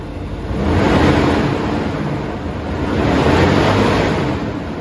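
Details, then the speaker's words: 2022 Nissan Titan at idle with the viscous fan clutch stuck locked: loud, airy, jet-like roar swelling over a slow idle as the fan spins hard; failed fan clutch that intermittently stays locked. "look at the miles I'm you know a half mile down from where we first did that vid the fan is still locked up"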